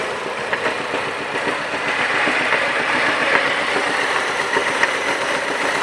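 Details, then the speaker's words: Mazda 6 engine at idle: sharp metallic knock about four times a second over the engine; suspected broken-up bearing shells, confirmed as a disintegrated connecting rod bearing shell. "двигателе Mazda 6. Предположительная причина — разлетелись вкладыши."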